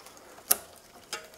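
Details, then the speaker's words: Bicycle rear derailleur with the lower (L) limit screw backed off a quarter turn, pushed by thumb past the largest sprocket: two sharp metallic ticks as it catches on the spokes. "too far across you can hear it catching on the spokes and bring that insightly"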